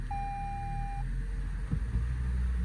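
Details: 2019 Toyota C-HR with electric handbrake, just started after brake pad replacement: one steady high beep about a second long over quiet idle; a warning is active, possibly door, seat belt or bonnet, cause unconfirmed.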